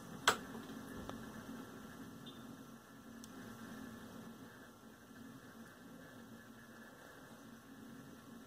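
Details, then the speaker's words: Velodyne F-1200-B subwoofer after repair of the servo circuit that caused growing low-frequency oscillation: quiet, low, steady test tone with no throbbing. "yeah it's not oscillating that's good other than the signal I put in it see I can crank it up and you can see it hit its limiter it doesn't clip and it doesn't distort it just maxes out"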